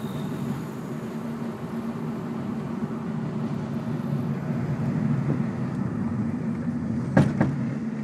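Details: 2002 Ford Focus driving: steady road rumble then two sharp clunks from driver's side front; owner couldn't pinpoint it at first, later found and fixed as a bottomed-out coilover.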